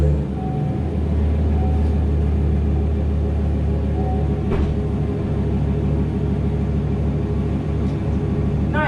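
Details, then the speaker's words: Chevrolet Silverado at idle just after fitting a new Corsa muffler (Y-pipe into Siamese duals, black chrome tip) and a Cold Air Inductions intake: a deep, even, mild rumble with no ticking, rasp or drone, a normal, healthy exhaust. "Perfect, just a nice little rumble, nothing too crazy. And that's exactly what we want to hear."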